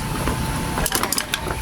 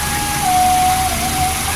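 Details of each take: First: Old-model Nikon industrial electric fan, two motor winding terminals showing no resistance reading: dry creak and scrape as the shaft is turned slowly by hand, rotation stiff and tight after long storage; worn shaft bushing. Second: Old-model Nikon industrial electric fan after repair (1.5 capacitor, switch checked), running on speed 1 then 2 with swing: steady motor hum with a clean, even tone and a smooth rush of air, no rattle; normal running.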